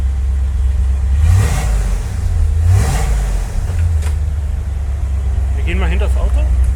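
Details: 1972 Corvette C3 V8 after fitting new rear mufflers replacing rusted ones. Deep even rumble with two clean throttle blips, no rattles or puffing leaks; exhaust sounds healthy.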